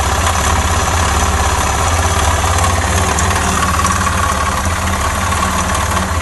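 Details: Suzuki Djebel 250 single-cylinder motorcycle that had been knocking and then stopped while riding and wouldn't restart: steady running with dull repeating internal knock over exhaust beat, cause unknown before teardown.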